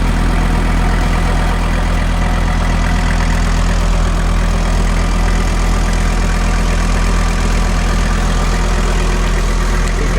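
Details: Rebuilt VW T4 Syncro after a 2-year overhaul, warm at 54°C with the cooling fan starting: smooth, even low idle with steady fan whoosh, no knocks or misses; sounds healthy.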